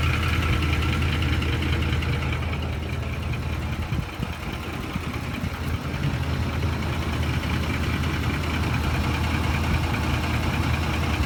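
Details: Ford F-150 at idle: soft, loosely regular light knocking over the rumble; owner suspects VCT phaser or timing chain tensioners, not confirmed.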